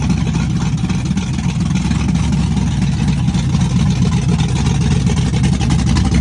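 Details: Chevrolet S-10 with a cam on open headers, cold start with Holley red electric fuel pump: loud, choppy, uneven rowdy idle with a deep lope; cam exhaust lift 480/488, advertised duration about 297; healthy lumpy cam idle.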